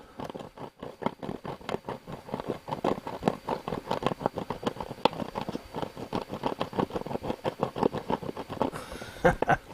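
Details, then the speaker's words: Radio speaker: every sound burst comes out rough, buzzy and smeared because the speaker cone is rubbing on the magnet inside; set also has a rotted-off transistor. "that's the cone rubbing the magnet inside that's why it's so shockingly bad"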